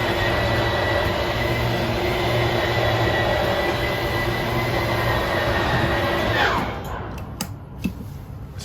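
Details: 2022 Forest River No Boundaries NB19.5 travel trailer slide-out moving: steady electric motor drone and gear hum, cutting off cleanly at full travel. Normal operation.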